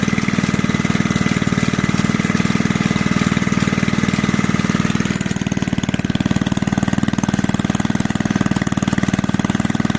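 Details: Junkyard Briggs engine on an old reel mower, just revived and running about one third above idle; a fast single-cylinder thump of about three beats a second with a clattery edge, and the owner suspects the old recoil starter.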